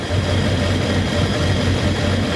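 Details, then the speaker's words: 7.3 Powerstroke diesel with 65 psi fuel pressure and new Ford ICP sensor and IPR: an intermittently lumpy idle, as if one injector drops out, then smooth again. Owner suspects air in the system or a bad wire. "And one of these seconds it'll just snap back to and it'll idle like glass again. I'm not sure what the hell's going on."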